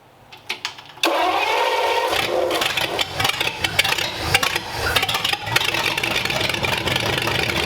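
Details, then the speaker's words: Engine on its first run after a good compression test, showing 35 psi oil pressure. Brief cranking, then it fires and settles into a steady, even idle with no knocks or misses. "there we go it runs 35 lbs of oil pressure sounds good"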